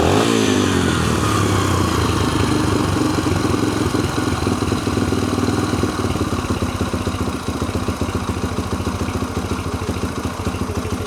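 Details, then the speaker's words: 2004 Yamaha TTR125L after rebuilt carburetor, air-fuel mixture screw backed out and high idle screw lowered: steady even single-cylinder putter settling to relaxed idle, no stumbling; sounds much better, fuel about a year old. "sounds a lot better."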